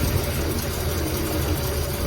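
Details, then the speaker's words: Ford Galaxie V8, first run after sitting, ignition points cleaned and carb cleaner used, fuel supply uncertain: steady low rumble with even firing, no knocks, occasional cuts; normal idle. "so that's about how long it takes to get an engine running in the real world and it really doesn't sound too bad now"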